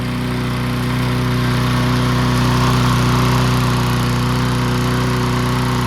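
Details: Old junkyard-find Bob-cat push mower with an aluminium deck, primed and started outdoors: a steady, even single-cylinder buzz at constant speed without surging or hunting. Normal running.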